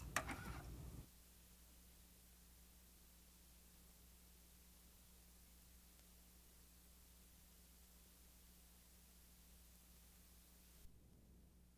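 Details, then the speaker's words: New 90-minute Walmart ONN cassette fast-forwarded a little and played blank on a JVC TD-V661 deck with Dolby off: a quiet, steady hiss across the range over a faint low hum. Tape hiss without noise reduction. "first fast-forward it a little bit Dolby's off let's hear the hiss"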